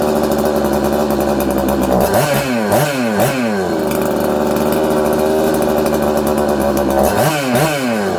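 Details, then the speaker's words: 266XP chainsaw, previously had air leak behind flywheel (crank seal keeper) fixed, pressure/vacuum test passed; revs zing up, sag to about 4000–5000 rpm, nearly die on throttle then recover, loading up with fuel like an air leak; surging from faulty carburetor. "it's all over the place it sounds good it's crisp but then it's not uh it's loading up with fuel like it has an air leak okay"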